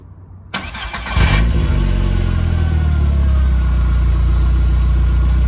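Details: VW Golf Mk4 GTI after a service and fuel filter replacement: short crank catches cleanly, flares and settles into a smooth, even idle with no stumble or misfire; normal start and idle.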